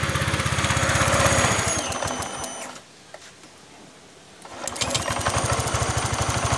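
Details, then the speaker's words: Honda Vario Techno 125/150 after replacing the cam chain tensioner under the throttle body: even, steady putter with clean firing, revs dip and recover, no rattle; cam chain rattle gone, engine healthy though somewhat weak. "dan masalah bunyi ini sudah sembuh tapi motornya memang kurang jos ya suaranya seperti ini suaranya hilang ya"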